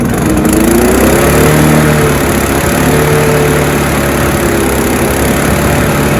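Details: Honda HR173 lawn mower after carb clean and service, started on choke: fires and settles into a steady, even putter with no misses or knocks; normal start and idle.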